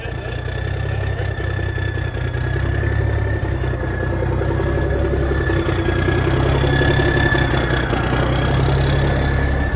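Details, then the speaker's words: 1987 cab-over truck diesel, first start in years on new batteries, cold start, oil pressure about 40: smooth steady idle, even low rumble, faint whistle, no knocks or misses; normal idle. "That thing sounds amazing. What's the oil pressure? Here. About 40. Good oil pressure? Yeah, about 40 almost."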